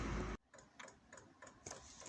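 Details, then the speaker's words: Newly installed Chinese diesel night heater in a van, fuel dosing pump being primed with the tank filled and the feed line full of air: a brief rush, then crisp light ticks about four a second. Normal dosing pump ticking. "So before I started bleeding the pump, which you can just see ticking, obviously I filled the tank up, but this was just full of air, so I started off just to prime the feed to the supply pump, this being the fuel pump, dosing pump."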